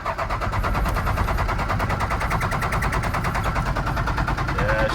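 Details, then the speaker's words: First-gen Dodge Ram D250, 5.9L 12-valve Cummins diesel, after sitting for years in a salvage yard: steady cranking with even compression pulses, engine shaking but never catching; no fuel, lift pump suspected bad and to be replaced. "It's wanting to start. It's just not getting fuel."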